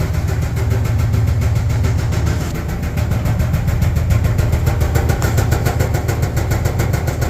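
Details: Dryer making an abnormal noise: a low rumble with a regular thumping beat of about three to four per second throughout, a repetitive knock.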